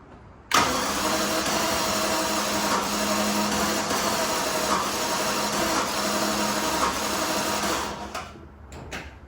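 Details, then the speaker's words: Jaguar XJS, fuel pump primed several times before the attempt: the starter cranks about three beats a second for eight seconds without catching. A slight strike on one unknown cylinder is heard, but the engine cranks and does not start. "We're getting a little bit of strike on one of the cylinders. Not sure which one. But, it's starting to work for us, so let's keep priming that fuel pump."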